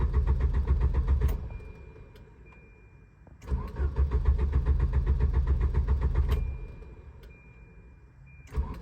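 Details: Volvo 740: starter churns at an even few beats per second for two to three seconds per try, three attempts, never catching; crank no start.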